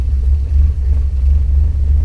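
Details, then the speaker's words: 1987 Toyota Corolla Levin AE86, 16v 4AG large port, Megasquirt sequential injection and coil-on-plug ignition, HKS 272 cams, no idle control valve: low loping idle at about 600 rpm, rough and lumpy, too low for the engine. "I wouldn't say the car is completely happy I don't know if you can hear it but it's pretty lumpy"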